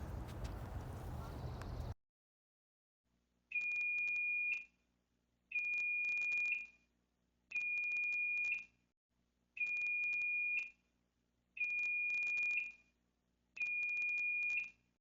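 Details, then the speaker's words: Fire alarm panel piezo gives a high beep about a second long, repeating every two seconds; it is too slow for a supervisory signal, so it is likely a trouble signal. Detections ran 2:50 to 4:41 am; a new building's thermostat was first suspected, and the cause is unconfirmed. "So at first I thought maybe it's this new building where I put in the heat and cooling thermostat to monitor temperature in there, but it sounds like it's too slow for a supervisor. Supervisors do a little bit of a quicker beep. Sounds more like a trouble."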